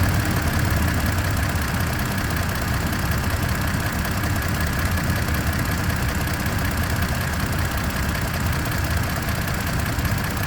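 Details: Toyota Tacoma TRD Off-Road (2023/2024): steady low idle with a fast, light, high-pitched ticking on top, even and unchanging; ticking at idle, cause not identified.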